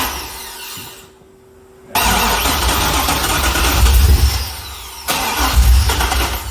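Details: Chevrolet C6 Corvette with junkyard engine and Terminator X ECU, first start attempts: starter churns at roughly three to four beats a second without catching; crank no-start, fuel pump relay circuit unpowered so pump isn't feeding it.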